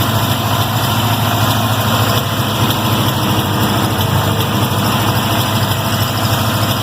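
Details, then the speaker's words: 1979 Toyota Corolla Wagon after MSD ignition removal, sat a couple days; initial warm-up idle of the small four-cylinder is steady, low and even with no knocks, though a miss was suspected earlier. Normal idle. "Alright, man. Happy with that. The initial warm-up, she's going pretty good."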